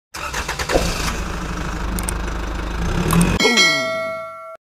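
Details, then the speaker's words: Rusi Venus motorcycle engine running rough and noisy with metallic clanks from the bottom end; worn connecting rod and crankshaft bearing, engine torn down to check them. "ito po ay rusy Venus maingay ho yung makina palitin siya ng bearing sa sa mismong makina niya tsaka connecting rod"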